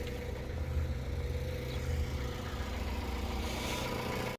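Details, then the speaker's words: Jeep Grand Cherokee ZJ with dead battery, just started by jump start after only clicking: steady, even low rumble with no misses or knocks; normal idle. "Alright, jump starting it has done the trick. It is running."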